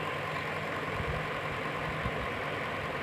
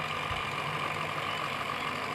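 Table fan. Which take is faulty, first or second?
second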